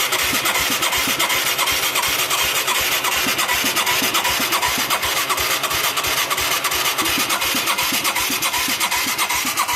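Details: Mid-1980s Yamaha YFM200 Moto-4 quad, first start attempt after sitting with a rusty plug and an engine that seemed seized until it broke loose; steady starter cranking with no firing. Weak spark, no fuel reaching the carb bowl, possibly low compression.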